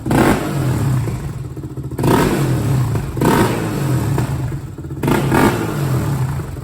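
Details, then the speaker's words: 2001 Honda TRX400EX ATV, customer reported a bog at mid range: single-cylinder engine repeatedly blipped to crisp revs about every second and a half, returning cleanly with no bog; a healthy running engine. "got a nice item definitely got that v-touch"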